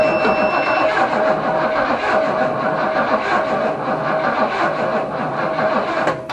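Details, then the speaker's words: Holden HQ Ute, unstarted for about 7 years, jumper box on the old battery, no fuel added yet: strong, even cranking at roughly four compression pulses a second, spinning freely without firing. Normal cranking. "so I'm happy with that it's actually spinning real good um battery doesn't have enough power anyway I'll have to change that out"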